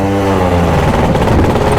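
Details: Yamaha Jog CE50 70cc two-stroke scooter being ridden after replacing a faulty battery fuse: buzzy note rising and falling with throttle, firing steadily without cutting out; running and pulling normally, some dead spots remain.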